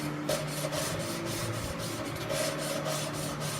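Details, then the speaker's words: SB2-2 racing engine cylinder head, lapping a valve into its seat with lapping compound and a suction tool: steady gritty rasp as the valve is turned back and forth; the grit means the seat isn't fully lapped in yet, and it turns smooth once done. "You hear it all gritty, and then it gets real smooth. Get a little more in there, pick it up and down. Once it's real smooth, you know you got it all in there."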